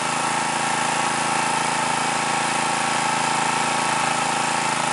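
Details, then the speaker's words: New stock Harbor Freight Predator 212cc OHV engine, 87 octane, about 40-45°F at 1200 ft: with choke at about halfway the mid-range popping and sputtering stops; even, steady drone, running smoothly. "now i said to choke to about halfway and the popping or sputtering it goes away"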